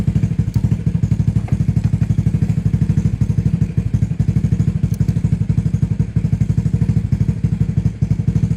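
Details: Honda Fusion scooter (reissue model) after parts replacement and oil change: fires on first starter press, settles into steady even low putter, no knocks or rattles; normal idle.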